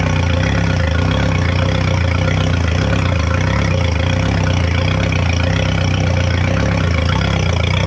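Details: 2011 Yamaha T50 outboard after fuel line, bulb, low-pressure filter, thermostats and spark plugs replaced; owner expected smoother but says it sounds much better: steady even low idle, smooth rhythm, no stumbling or dying; normal running.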